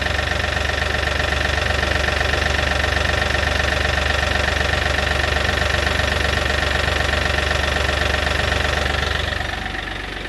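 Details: Kioti NX6010 hydrostatic tractor after hydro filter housing change: even, steady diesel idle with a smooth pulse and no popping; a tiny bit of air is still visible in the suction line.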